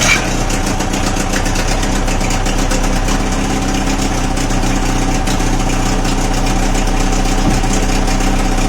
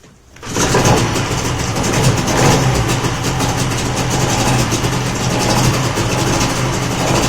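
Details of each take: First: Old two-stroke outboard after fuel filter repair, left running a couple of minutes, steady idle with a slight uneven burble; more water now coming out but not running perfectly, cause unclear. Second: Old two-stroke outboard after fuel filter repair, choke off and pulled to full throttle, fires quickly and settles into a steady, even buzz with no misfires or stumbling.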